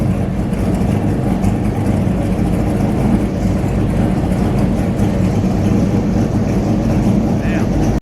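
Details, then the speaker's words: Ford F-350 ramp truck with swapped 8.1 big-block, exhaust through newly mounted headache-rack stacks; deep, steady, even rumble at a clean idle with no misses or knocks, normal idle. "the thing looks freaking killer uh it sounds awesome Rumble"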